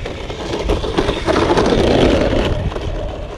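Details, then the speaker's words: HB Toys ZP1003/ZP1004 RC crawler (TRX4 clone) driving outdoors: uneven scraping rasp over the drivetrain whir as tires rub on the rattly body; raising the body one notch helped a little, trimming the arch suggested. "it sounds like the tires are rubbing on it as well so a little bit of rubbing on the tires but not too bad"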